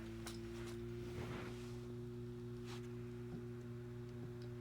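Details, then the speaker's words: New Western Digital hard drive spinning up for cloning: steady low hum with droning tones and heavy vibration, then it quits and isn't found; vibration on spin-up, cause unknown. "Wow. A lot of vibration to it. Now it's quit."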